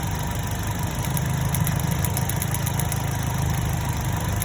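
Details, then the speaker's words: 2010 Chevrolet Cobalt 2.2 after fixing missing starter-relay ground and mass airflow sensor ground (P0102 cleared) and swapping a bad cylinder 3 coil: steady, even idle with low smooth beat and no misfire; runs healthy. "all right now it's running good not too spiring"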